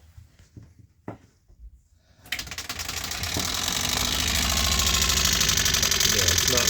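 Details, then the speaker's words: 2017 20ft Airstream Flying Cloud water pump just after an IRVWPC2 controller install (set to hold 40 PSI instead of 52-55): green light blinking, but a fast steady chatter, pump cycling and rattling instead of running smoothly; cause unknown, owner tries another pump. "Okay, I have a blinking green light and everything is working properly, but the pump makes a different kind of noise."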